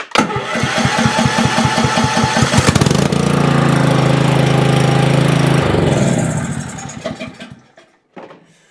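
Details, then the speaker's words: Cub Cadet CC30 H riding mower with MTD PowerMore engine, previously turned over but would not start, after repair: cranks briefly, fires and holds a steady, even drone for a few seconds; runs pretty decent. "seemed to run pretty decent it's kind of hard to tell until we get"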